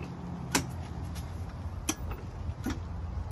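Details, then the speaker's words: Golf cart electric motor hums and shudders with sharp knocks about every second but won't move; pack reads normal 37 V and motor tests fine, but one damaged battery starves the motor of power; load-test batteries individually to find it. "the only problem is one of these batteries is damaged that's why it doesn't get too much power to power the motor and it vibrates"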